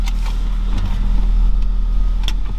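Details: BMW E39 with freshly overhauled M54B22 straight-six, adaptation values cleared, lifters still filling with oil: steady, even low hum with no knocks or misses, smooth idle with values in order; normal idle.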